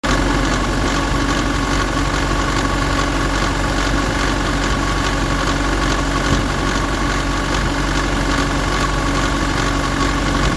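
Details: 2007 Nissan Pathfinder 175 hp diesel after starting and 15 minutes at 1500 rpm: steady idle with a loose irregular rattle about two per second, diminishing but still present; source unidentified.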